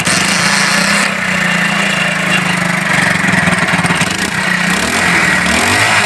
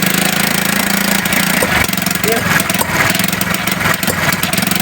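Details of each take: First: China 70cc Unique motorcycle with misfire, after fitting a spark-tested good plug: engine runs fast and even with steady buzz, no missing; normal running. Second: 70cc motorcycle idling unevenly, stumbling and cutting out irregularly before dying; misfire traced to a shorted spark plug, cured by fitting a new plug.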